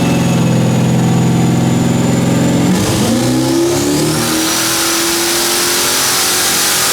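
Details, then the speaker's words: 2001 Firebird, iron 6.0 L LS with billet S484 turbo, 80 lb injectors, TH400, pump gas on dyno: lumpy idle, then a hard but ragged pull at about 10 lb boost. It seems to misfire and runs super rich; a bad plug or wire is suspected. "now first hit there was about 10 lb of boost and it was pretty sketchy it was uh I feel like it had a misfire it was also Super Rich"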